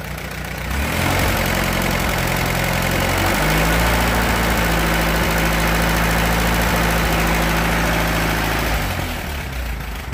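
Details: Allis Chalmers B tractor engine after repairs, muffler fitted: catches and settles into an even, steady low idle for several seconds before shutting down; runs smoothly, burns a little oil, oil pressure just barely there.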